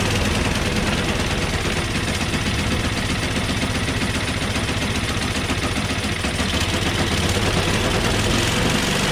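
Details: Small snow blower engine, cold start on choke at high throttle with carb spray: loud, even, steady run with no misses or knocks; started right away, though it stalled once taken off choke.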